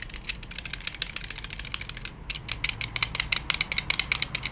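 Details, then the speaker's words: Honda S2000 AP1, replacement soft top latches, driving over rough roads: rapid uneven plastic clicking rattle as the latch's plastic trim jiggles against its metal bracket; fixed with foam weather stripping. "Now the replacement latches that came made a lot of rattling noises when I was driving over rough roads. A noise just like this."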